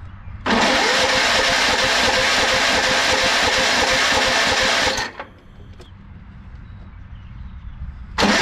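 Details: Yardsman lawn tractor, 15.5 HP Tecumseh engine with plastic-bowl carburetor, after reinstalling the anti-kickback solenoid, on a very weak battery: starter churns about four seconds at roughly three turns a second, never fires, then cranks again; gas not flowing, won't start without priming.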